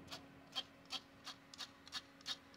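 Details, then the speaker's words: MSI laptop GPU cooling fan running before repair: dry scraping rasp about three times a second over faint hum; off-balance fan blade rubbing its housing. "This makes a horrible sound."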